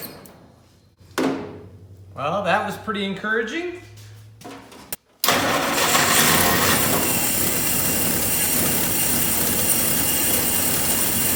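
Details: 1948 Willys Jeep CJ2A flathead inline six: cranks, fires and catches into an uneven idle with a ragged, hissy note; vacuum leak from tape left under the carburetor base leaving a gap plus an open vacuum line.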